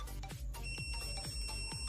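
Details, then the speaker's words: LG MH7570 microwave reported making loud noise; multimeter continuity test gives a steady beep between magnetron terminal and case, music behind, showing the magnetron is shorted and must be replaced. "Ou seja magnetron é Em Curto Beleza o magnetron está em curto"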